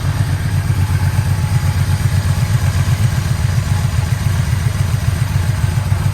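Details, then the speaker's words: 1985 Yamaha Vmax V4 at first start after carburettor rebuild, new plug leads, coils, plugs and fuel filter, air box off: deep, smooth burble idling steadily around 850 rpm with no hunting, misfires or tapping; normal idle. "bike always loved idling about 850 revs just used to sit there mopping over just like now"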